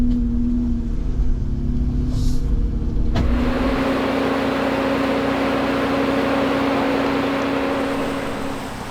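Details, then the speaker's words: Jeep with front and rear lockers, after washing it in a creek in the Victorian High Country: steady mid-pitched whine over engine and road noise; something has gone in the rear differential, cause unknown. "Reuben wrapped it bang something has gone in the rear diff I don't know what is wrong with it yet"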